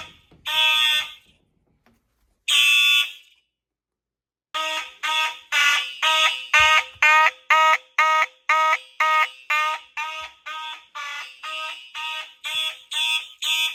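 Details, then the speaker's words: Simplex fire alarm system test with horn-strobes on one circuit: rough, strained, uneven buzzing horn blasts about two a second; horn weak, starved by too many devices on the circuit. "My horn sounds like it's freaking dying. Yeah. It doesn't sound like that if you don't have a bunch of devices."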